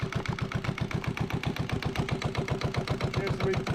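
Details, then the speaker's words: Yanmar 1GM single-cylinder marine diesel restarted on a wood pallet in the shop after fuel priming by siphon, to flush calcified cooling passages. Crisp, even thumps about seven a second, no misses or knocks, barely bouncing. Normal idle. "but thank goodness that I've got it running um and it's not bouncing around nearly as much as I thought it would"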